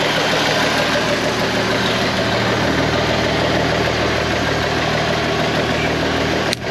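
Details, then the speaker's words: Abandoned IH 4166 tractor diesel, sat since about 2015-2016, first start with fuel opened halfway and clutch down: loud, steady idle with even low beat, no knocks or misses; owner says it runs good. "Well, that was entirely too easy. [Music] running sounds good down."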